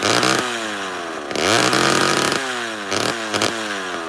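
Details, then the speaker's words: Original old two-stroke chainsaw with matchbox muffler on fresh fuel, possibly never apart and possibly needing retuning: revs up and down with stumbles and dropouts, an audible misfire; cause unknown. "I don't know if it the s's ever been apart does have a miswire if you can hear it um and it carries on a little bit more now"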